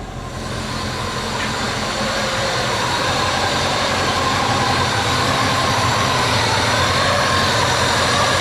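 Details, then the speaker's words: Subaru Forester on Haltech ECU, after a no-start: steady, even run that firms up within a second or two with no misfire. Fault was spark plugs fouled by a fuel spill and flooding, plus a battery drained overnight by accessories. "It was foul plugs all along because of the fuel spill that I had, and then testing where it was, flooding the spark plug, then leaving the battery or the accessories on all night after doing that, and then we didn't have enough voltage to c"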